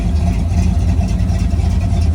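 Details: 1972 Chevrolet C10 after a front-end rebuild, new mini starter and Edelbrock valve cover gaskets: deep, even exhaust burble at idle with no ticking or puffing from the manifold. No leak; normal exhaust note.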